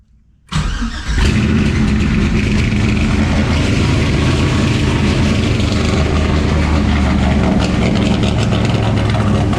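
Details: 1968 Camaro with LS swap and 4-speed manual, first start: loud V8 cranks, catches and holds a fast, steady idle that never drops; owner says the idle screw needs backing down.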